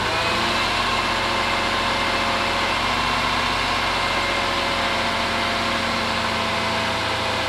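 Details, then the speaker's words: Jaguar XJR supercharged V8 after alternator replacement and new supercharger fluid: smooth steady idle, no whine or squeal from belts or supercharger, charging at 14.22 volts; normal idle. "all right so fire right up you're good let's go check the battery and see what's going on yeah we got 14.22 volts so system is charging so thank god we fixed it"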